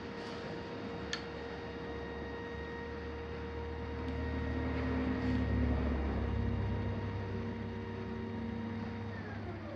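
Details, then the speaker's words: Astro-Physics Mach2 mount, right ascension axis after belt adjustment, tested without full load at 1800 go-to slew speed to park 5: a quiet, steady whine that drops away as it stops, no grinding or clicking, no vibration; healthy drive. "so i'm at 1800 go to slough speed going to go to part 5. you'll note there's no noise this time no vibration"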